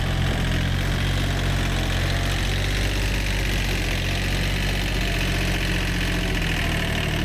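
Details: Old, worn Kubota B7100 diesel tractor after a gearbox rebuild that replaced chewed-up gears and bearings: an even, steady run with no driveline grinding or clunking; the earlier gearbox noise is gone.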